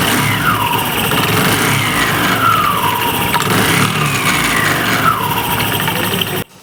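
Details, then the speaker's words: Honda Activa BS6 scooter with clutch opened: loud engine with a whine sliding down in pitch about every 1.5 seconds; clutch and gear rubbing ruled out, mechanic now strongly suspects the fault is a gearbox bearing. "Confirm గా ఇక gear box లోపలే bearing లోపలే ఏమైనా problem ఉందని 100% doubt ఇక"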